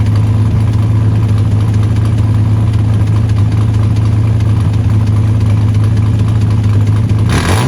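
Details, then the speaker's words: 1979 Ford Capri 3.0 Ghia Mk3 manual, revived after about 20 years, running about 5 minutes on a jerry-can fuel feed with no coolant: low, steady, even rumble; engine runs smoothly and sounds healthy. "Got it running, that was the goal. We know she's good, we know the engine's good."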